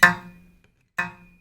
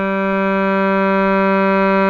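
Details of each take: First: Shruti box G reed, before repair: two short notes with a buzzy edge, because the reed tongue touches the frame surface. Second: Shruti box G reed after repair, with the tongue straightened on both sides so it no longer touches the frame: steady pure sustained note, even tone, no buzz or rattle.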